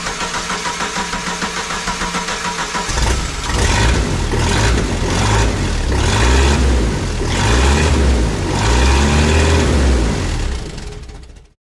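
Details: Jeep YJ after ECU repair, with the previously unplugged ignition coil reconnected. Steady cranking for about three seconds, then catches and settles into an even, smooth run; starts and idles normally.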